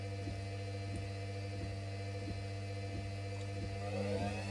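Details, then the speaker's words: Washing machine spinning at about 400 RPM after not running for a while: steady low motor drone with faint tick about every two-thirds of a second; motor bearings suspected to be going, possibly just from sitting. "oh sounds like the um motor bearings are starting to go on this but it hasn't SP but the machine hasn't ran in a while so that might be why"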